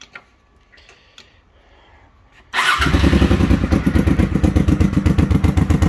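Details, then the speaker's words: Honda XLV750R V-twin after exhaust modification for roadworthy certificate: fires and settles into an even, loping idle of about four pulses a second, much quieter; sounds healthy. Owner's phone dB app reading uncertain. "Much quieter. Definitely much quieter."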